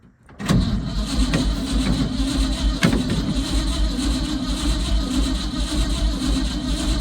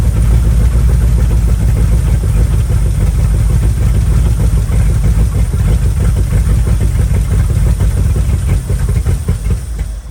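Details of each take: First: Old Ford F100 bought sight unseen, battery reading 12 V: starter turns engine slowly and laboriously without catching; weak battery, starter and solenoid confirmed working. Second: Old Ford F100 V8 just started after firing order correction (rotor believed to spin counterclockwise, had been set clockwise), on RV battery: low lumpy rumble with uneven beats fading out; runs rough, timing and carb still need setting.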